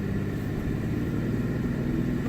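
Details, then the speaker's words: 1993 Ford Escape driving at 27 degrees: uneven, stumbling, rumbling low note with hesitation. The engine is running on five cylinders with a cylinder 3 misfire from a failed ignition coil, and a blinking check engine light. "this is the examples of what's gonna what's gonna happen when you get a bad coil and you're also going to get a blinking check engine light"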